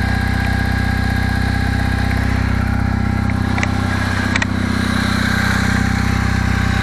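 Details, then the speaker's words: Kawasaki W650 twin idling cold without choke at about 10 °C, not fully warmed: steady idle with a light, even knock about four times a second that gradually builds; owner suspects cam drive/driven gear mesh needs adjusting. "это на холостом ходу но он еще не до конца прогрелся пока [аплодисменты] [смех] постепенно постепенно с тупого появляется он нарастает нарастает"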